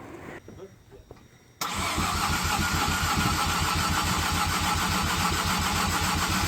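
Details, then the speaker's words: Mazda FD RX7 with bridgeport rotary engine, first start attempt: after a pause the starter cranks steadily at about three and a half beats a second but it never fires; fuel pump wiring and MAP sensor being checked, cause unconfirmed. "so I've just tried to start it and nothing's happened so"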